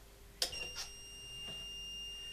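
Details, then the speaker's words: Faulty 1000 W 12 V battery inverter, previously working, owner suspects overload, switched on connected to a battery: click, then short high beep and steady faint tone; signalling a fault. "it's going beep as you can hear so i've just got this light here"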